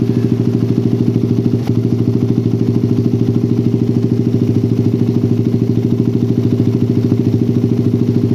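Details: Motorcycle with a PWK carburetor and loud racing exhaust after curing the helicopter-style stutter (brebet) by resetting the air screw to about 2.5–3 turns. Steady single-cylinder idle with evenly spaced pulses and no stumble or miss: normal idle.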